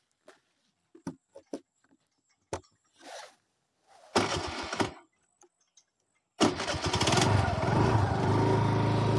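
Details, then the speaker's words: TVS Jupiter scooter that dies when throttle is opened; with choke applied, several failed cranks, then it catches and runs unevenly with a ragged idle, staying alive only on choke, suggesting mixture trouble. "आता थोडी थोडी चालूक लागली हा। तर मित्रांनो, गाडी आता चालूक लागली, बघू शकतास तुम्ही।"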